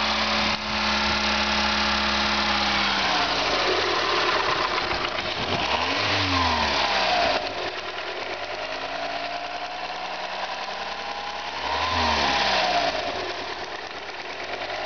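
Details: VW Golf 4 1.4 engine with a noise problem: steady rhythmic tick over the idle, about three to four a second, rising and falling through two revs; cause not clear.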